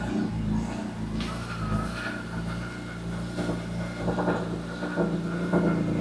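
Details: BMW E46 M3 on its first start after home-garage work, with rod bearings the worry: a steady, even low idle with a few light rev blips and no knocking or ticking. Bone dry of leaks, runs healthy.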